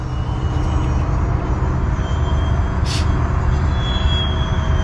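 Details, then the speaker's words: E-flite F-15 Strike Eagle RC jet flying with a bigger battery pack: steady roar of the fan passing overhead with a thin high whine that climbs near the end; source of the weird noise unclear. "f-15 eagle it's making a a weird noise"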